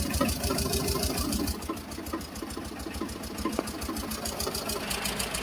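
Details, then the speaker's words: Tata Ace Gold diesel that stalled while running and wouldn't start, after rewiring the ECM and dynamo line: it starts and clatters at a low, even idle with no stumbling or misses. Now runs normally. "இப்ப okay done start பண்ணி பாப்போம். பாருங்க இப்ப பக்காவா இருக்கு."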